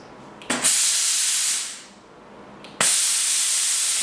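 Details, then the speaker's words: Braun steam generator iron unused about 10 years, limescale-blocked, after soaking with descaler and refilling with water: two strong, even hissing steam bursts over a second each, cutting off cleanly; steam flowing freely again. "we appear to have unblocked it."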